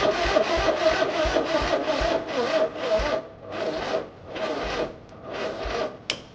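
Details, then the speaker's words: 1980 John Deere 317 tractor, new points and condenser, battery charged but dying quickly (owner suspects bad battery): starter drags and slows at about three strokes a second, no firing, still no spark; slow crank, no start. "who thinks this battery might be bad didn't take long to go dead the charger said full but nonetheless we still have no spark at all"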